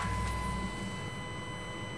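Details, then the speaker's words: 1999 GMC Safari cargo van started and idling: steady high whine near 1 kHz over low idle rumble, the classic in-tank fuel pump whine, echoing loudly at the rear near the fuel tank; normal. "It's got that classic fuel pump whine"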